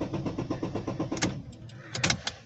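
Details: Chevrolet Sonic that stumbles and dies above 2000 rpm, cranked with a fuel pressure gauge fitted: even starter cranking with no catch, then it stops; no start because the fuel tank is empty.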